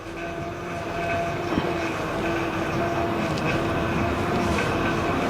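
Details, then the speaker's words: 2008 Honda Odyssey: steady hiss with a thin whine when turning the steering wheel. A busted, leaking power steering pump was confirmed. "hope you could hear that every time you turn the steering wheel you can hear any hissing sound"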